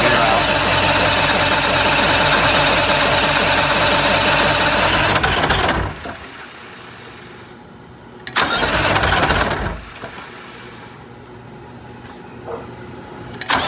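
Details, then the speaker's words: 1985 Bluebird Wanderlodge PT40 diesel cranks steadily with the stop engaged and never fires, then cranking stops. Fuel starvation: the primary fuel filter was nearly empty and was then refilled to prime. "so we just pulled the primary filter and filled it with diesel fuel it was low it was down to the bottom almost so that's definitely another issue"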